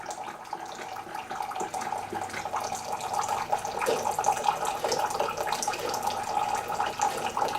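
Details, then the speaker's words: Keurig 2.0 coffee maker brewing a 4-ounce cup: water pours into the cup over a faint, even pump hum with no rattles or strain, much quieter than the owner's other machine; normal brewing pump. "right now we're gonna do just a 4-ounce to show you how fast it puts out the water and like I say this here is actually very quiet compared to my other machine"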